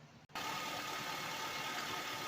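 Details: 2006 Honda Accord EX 2.4L idling after radiator replacement and coolant refill, checking for leaks: engine catches and settles into a steady, even run with loud fan-like whoosh, no knocking or stumbling; healthy idle.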